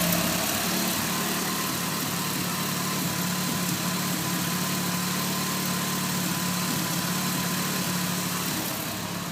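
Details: Nissan SR20DET at idle: fast light ticking about four per second. Owner suspects an exhaust leak where the T28 turbo flange bolts to the manifold.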